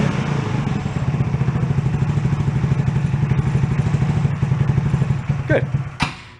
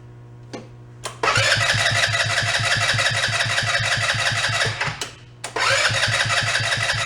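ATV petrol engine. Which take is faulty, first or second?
second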